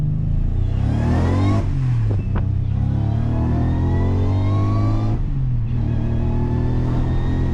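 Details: Subaru Legacy with a junkyard Eaton M90 supercharger, now fitted with a smaller blower pulley: pulls hard through the gears with a whine that rises with revs and drops at each shift; healthy, boost peaking at 8–9 psi and tapering to about 7 psi up high.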